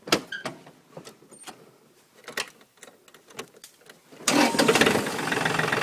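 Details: John Deere 4300 diesel tractor after replacing the fuel shut-off solenoid on the back of the injector pump: a few quiet ticks, then it catches and settles into a steady, even run. Starts cleanly.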